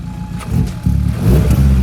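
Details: Hyundai Elantra, stock engine with a big turbo, after replacing a broken exhaust V-band clamp, checking for exhaust leaks: clean, deep, even note as it idles and revs, no puffing or ticking; no leak, fuel pressure 70.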